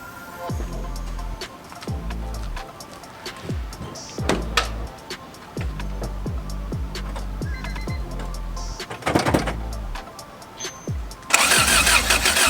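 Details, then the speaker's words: Infiniti G35 after test pipe install, battery found low on cranking amps, no spark found; starter churns in even pulses near four a second with no catch; cranks but won't start, ignition igniter suspected, not confirmed. "we still do not have spark so let me see apparently these h series uh distributors are known for the igniters going bad"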